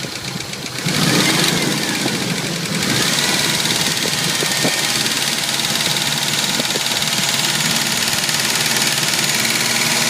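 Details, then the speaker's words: Jeep YJ 2.5L on cold start after sitting overnight: a light, quick tick or ping over an uneven idle, faster than firing pulses. It appears briefly at startup, fades, then returns; pulling each spark plug wire didn't change it. Cause unknown. "It started rattling right off the start, and then it stopped rattling with that knocking. And now it's not knocking at all. No knock. Kind of hear the knocking. Louder. That sounds more like a pinging, a ticking."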